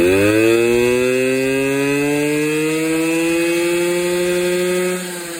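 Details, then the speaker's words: Honda Express NC50 two-stroke moped after carb cleaning, idling with no air filter fitted (hence loud): crisp buzz revs smoothly with throttle and settles back evenly, no longer smoking; normal running. "As you guys can hear, we have it idling right now. Right now it just sounds kind of loud because there's obviously no air filter on it"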